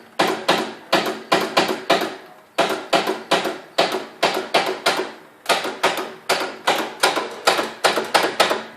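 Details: Ride-on lawnmower with new battery, after running through mud and a belt coming off: sharp, even clicks in quick bursts, two or three a second, engine never turns over; starter clicking, no crank, starter very warm.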